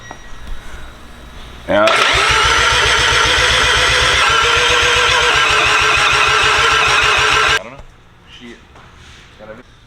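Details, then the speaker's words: Rotary engine with an RX-8 starter fitted, first start attempt: about six seconds of steady, sluggish starter churning that never catches. Cranking is too slow to fire. "okay it's not a crank it's not cranking fast enough"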